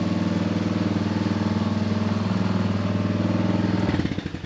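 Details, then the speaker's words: Honda Recon ATV after carb cleaning, old gas removal and cylinder head swap: steady, even single-cylinder putter with no misses, knocks or smoke, then winds down; normal healthy idle. "yep nice yeah she runs no smoke sounds good all right"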